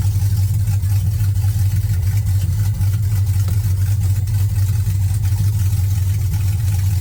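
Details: 1979 Camaro with LS swap, no exhaust pipe: loud, deep open-exhaust drone with an uneven, slightly lumpy beat under steady running; running rough, exact cause unclear.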